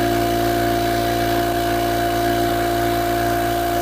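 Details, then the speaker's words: Oil-lubricated Apollo dental air compressor (single-head Copeland) building pressure: steady pump hum with faint rhythmic pulsing; the differential pressure indicator across the filter turns red when airflow is restricted by a clogged coalescing filter, which itself is not audible. "And so when it turns red, what it's telling you is that the airflow across the filter is not what it should be."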